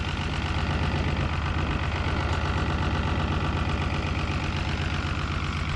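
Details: 1975 Chevy stepside diesel, sat 32 years, warm, running without mufflers after the idle was turned down: a steady heavy chug about four beats a second with a shaky, uneven rough idle. Some blow-by seen, possibly from sitting; cause unclear.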